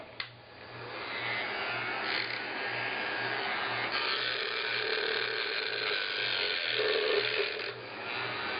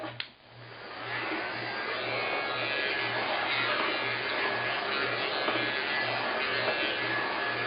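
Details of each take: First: Weller heat gun (6966C) running: steady motor whir with a fast ratcheting rattle that comes and goes, sometimes only when the gun is moved; second time it has happened, something loose inside, not a wiring fault; temporary patch fix. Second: Weller heat gun after a temporary home fix for a recurring funny noise. Steady airy blower rush with only a faint low pulsing hum underneath and no rattle; some faint vibration remains but is much less than before. Normal running.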